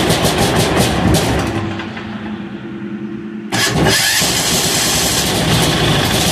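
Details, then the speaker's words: 186FA single-cylinder diesel, after running out of 10W-30 motor oil fuel, restarted on diesel: loud rapid clatter, brief lull, instant restart into even steady diesel chug; running normally. "again there we go now we're on diesel and it ran out of fuel so that's a successful test I call it"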